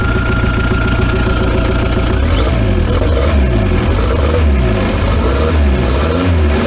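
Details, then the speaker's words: VW T3 van with TDI engine after cylinder head swap and JB Weld piston repair (damage from bottom pulley coming off), freshly refilled with coolant: steady even diesel clatter at idle, smooth low rumble, rising whistle; runs healthy, sounds much better, started easily. "let's just start it up again for a minute and see how we're looking it wasn't too hard to start in fairness sounds a lot better now"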